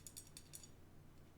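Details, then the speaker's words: Brass lead nut on lead screw, compared with well-fitting graphite SLS nut, Prusa i3 MK2S build: faint irregular light metallic clicks and rattles as screw turns; brass nut loose, wobbling and tilting on screw. "for comparison you put a brass one on and it just you can hear that hear it wobbling"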